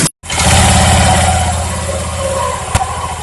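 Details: Honda Vario 125 ESP scooter idling after replacing the stiff crankshaft seal that caused the ringing at idle: steady, even low putter with no ringing or whine.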